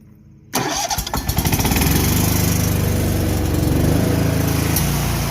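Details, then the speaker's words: Bad Boy ZT Elite zero-turn mower, 747cc Kohler 7000 Series V-twin, after starter replacement for a no-start, restarted to check battery charge: starter cranks briefly, engine catches at once and settles into steady, even idle, no misses or knocks; running normally. "[Music] sounds good to me see ya [Music]"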